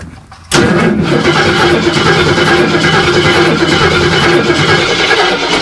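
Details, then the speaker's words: Off-road race car with an aluminum radiator and black but full oil: starter spins the engine steadily for five seconds while oil pressure starts to rise, but it never catches; crank-no-start because it is out of fuel. "Did you get oil pressure? It had a little bit. Yeah, it started moving the needle up. All we need is fuel."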